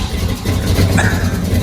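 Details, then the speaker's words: 1979 Ford V8 with one spark plug wire cut, started to run on seven cylinders: the idle is lumpy and uneven, with a missing beat in the low exhaust pulse; misfire on one cylinder. "we're going to put the batteries back in try to start again see if it'll run on seven cylinders"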